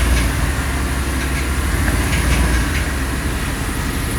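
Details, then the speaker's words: A 2013 Chevrolet Avalanche, the same day it left the shop after transmission repair, gives a deep rumble with a faint, loosely repeating clack about four times a second. The noise is new and its cause unknown. "un ruido ahí, clac, clac, clac, clac, clac, clac, clac. No sabemos lo que es. Eso no lo tenía, no sabemos lo que es."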